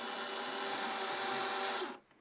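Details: Control valve motor on a chemical-free air-over-media iron and sulphur filter, starting a manual regeneration after a chlorine soak. A steady, even whir for about two seconds that cuts off cleanly, with no grinding or knocking. Normal valve motor.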